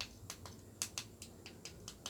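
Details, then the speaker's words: Toy Lamborghini RC car remote opened to the PCB: crisp, sharp clicks, about four a second, with a firm snap as each button is pressed. The switches still click, so they are good; the fault lies elsewhere on the board. "Biasanya tombol-tombol ini kalau masih bunyi gini masih bagus,"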